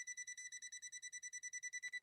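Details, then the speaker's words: Swedish sewing machine on step-up converter with a short in the power cord causing intermittent power: tester gives fast steady high pips, about nine a second, at the foot controller; live foot controller, shock hazard. "now we're getting a real positive response from this foot controller see that"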